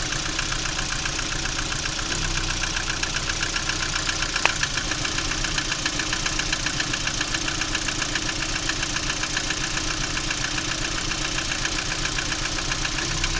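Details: Lada Priora engine at a steady idle with a sharp, fairly even tapping about three to four times a second: an internal engine knock, cause unknown.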